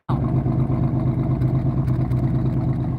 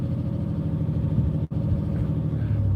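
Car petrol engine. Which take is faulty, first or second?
first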